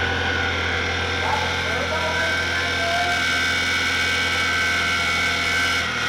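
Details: Nissan truck ("Blue Bruce") pulled from the boneyard after over a year unused, idling: high thin squeal comes and goes over steady idle; idler pulley bearing is junk and must be replaced.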